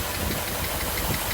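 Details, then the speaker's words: 1982 Mercedes 380SL V8 after new timing chain tensioner, warm with thermostat open: steady idle with a light, quick tap-tap on the passenger-side bank; valvetrain tick, cause not pinned down. "I do have a little uh tap tap tap over on the uh passenger side but you know it's not bad you can hear it I can hear it"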